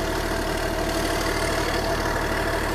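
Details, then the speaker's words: Small excavator diesel engine, restarted after sitting neglected, with steady even idle clatter and a smooth low rumble, no knocks or stumbles. The engine sounds healthy, but the throttle and hydraulics don't work, possibly due to a safety switch. "throttle don't work but man the engine sounds good dude"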